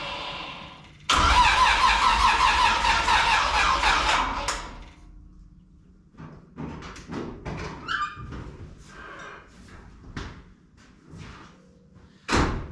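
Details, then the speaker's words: '57 Chevy delivery with Hilborn mechanical fuel injection, running poorly, dry plugs suggesting lean fuel, after sitting: the starter spins briskly for about three seconds, it never catches, then clicks and rattles; a no-start. "Well, that didn't go as planned. Try again."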